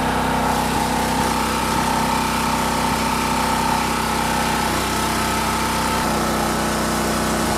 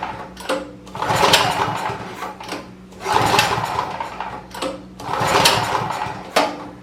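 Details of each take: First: Champion 4000-watt generator curb find, previous carburetor rebuild, fresh non-ethanol fuel, choke on: steady even small-engine buzz settling to a slightly deeper note; runs smoothly, holds speed. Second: Champion 4000-watt generator curb find, carburetor reportedly rebuilt, spark present, ignition on and choked: three slow recoil pulls spinning it with no firing; cranks but won't start, likely a fuel problem.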